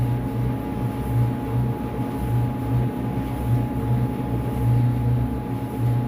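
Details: Whirlpool WED92HEFC2 dryer after replacing belt and drum rollers, motor previously loud and suspected near end of life, now fully reassembled: smooth even low hum with light whir, no buzz, rattle or rubbing; very quiet and smooth, normal running.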